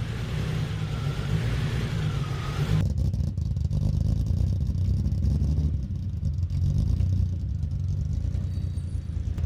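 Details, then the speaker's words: BMW E30 first running after sitting a year and drivetrain reassembly, battery jumped, injectors suspected as start problem: deep even exhaust rumble rising and settling smoothly with revs, no knock or miss; sounds healthy. "So cool. Sounds awesome."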